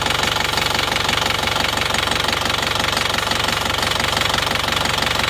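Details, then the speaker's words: Isuzu Panther Touring diesel after repair, fully warm with thermostat open and temperature mid-gauge; steady even idle clatter with fan noise, no stumble, previous misfire and tak-tok knock gone: normal diesel idle. "Insya Allah sudah rata ini hidupnya. Enggak seperti yang kemarin karena pincang-pincang kemarin, pincang-pincang ini sudah enggak."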